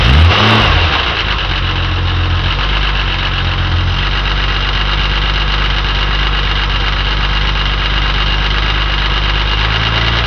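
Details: Jaguar E-type Series II at idle: a fast, light ticking at about three per second, apparently from the timing chain end of the exhaust camshaft, persisting after several repair attempts. Cause not revealed.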